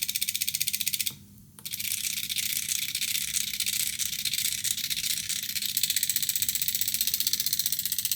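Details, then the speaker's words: Air-conditioner expansion valve on a test PCB at about 100 Hz and 19 V: fast even high-pitched ticking about four per second with a brief pause; stepper driving the valve normally, more unsticking force expected at 24 V. "In questo momento stiamo circa 100 Hz 19 V, quindi immaginate che a 24 V avrà ancora più potenza, più probabilità di sblocco."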